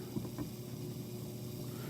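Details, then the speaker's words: KitchenAid dishwasher, complaint no water, after replacing the bad inlet water valve, tested before refitting: filling nice and quiet with a steady low hum, slight electronic grrr and soft water rush, no leaks; inlet valve filling normally. "You can hear the resistance. It does make a bit of a grrr noise as it is an electronic component. I know there's water going through it."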